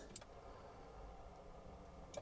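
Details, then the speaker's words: Passenger-side electric mirror motor on an old diesel P38 Range Rover moves very slowly in all four directions with a rough, gritty grinding whirr between switch clicks; the driver's side only clicks after lubricant was sprayed. "let's try on the passenger side and way look at that left right it's very slow and grindy sounding"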